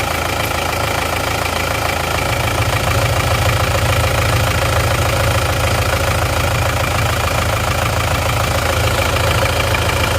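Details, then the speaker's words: Isuzu Panther touring turbo diesel that ran out of radiator coolant, idling before overhaul, oil catch tank fitted: steady idle with rough even chuffing about three times a second; heavy crankcase blow-by, high oil consumption. "ini mobilnya kendalanya adalah ngobos sehingga dia dipasang OCT seperti ini tujuannya supaya uap oli yang berlebihan masuk kelebihan tersebut tidak langsung masuk ke hisap ke manipol"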